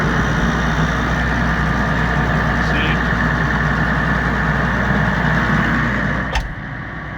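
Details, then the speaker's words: Challenger MT535B tractor diesel cold start with a newly fitted FASS Titanium fuel pump, no preheat used: steady, even rumble with no misses or knocks, automatically holding high idle until warm. Normal cold-start high idle. "went to a high item by itself and once it's warm"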